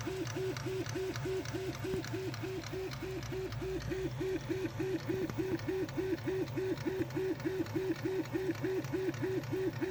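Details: Prusa Mini+ X-axis stepper motor hums in quick back-and-forth bursts on short left-right moves, with a sharp click on each direction change; extruder normal, the idler screw already very tight despite support's advice.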